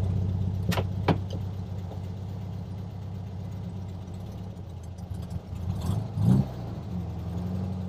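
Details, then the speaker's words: 1967 VW Beetle after intake manifold, carburetor, distributor swap and valve adjustment, warmed up: even, low chuffing idle with no stumble or misses; running properly. "I just had it idling for a little while and it's taking the gas pretty well now. It's not even, no stumble, no nothing."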